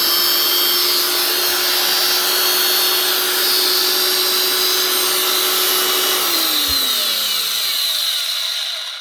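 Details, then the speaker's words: Broken angle grinder from a fishing-boat repair box, first switch-on: steady high-pitched whine with a coarse, gritty, stiff edge, then winds down at switch-off; bearings suspected, sticking brushes possible. Rough running. "First things first, switch it on. See what it does. Sounds a little bit stuff might need bearings anyway."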